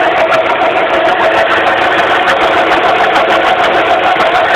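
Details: 2006 Suzuki Forenza idling, hood open: loud, constant mid-pitched hum over the engine from a failing power steering pump.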